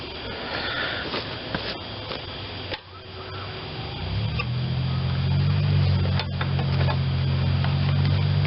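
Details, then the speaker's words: Honda GCV160 on Black Max 2600 psi pressure washer, restart after carb cleaning and fresh fuel: handling noise, then it catches and settles into a steady, even drone holding speed; works perfectly. "now let's try a restart so works perfect"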